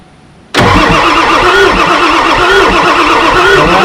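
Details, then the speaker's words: Ford F350 7.3 Powerstroke diesel that sat about 15 years: the starter churns loudly with slow pulses but the engine never fires. The fuel send and return lines were found swapped, then corrected and fresh batteries fitted. "Wouldn't you know it? I hooked the return to the send and the send to the return."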